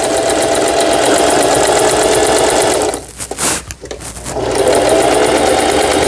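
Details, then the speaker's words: Singer 4432 sewing machine after repair (was noisy from new, parts knocking, auto-threader dislodged): pattern stitch test with dense stitch length, even quick clatter about three and a half stitches a second, brief pause and smooth resume; normal running. "네, 각종 기능들 네, 수리가 잘 되었습니다."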